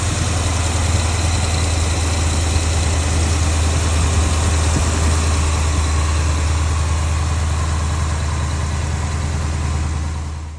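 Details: Dodge Challenger Hemi V8 after replacing noisy worn accessory pulleys and refitting serpentine belt; steady, even idle with low smooth drone and no rattle or chirp from pulleys, belt drive normal.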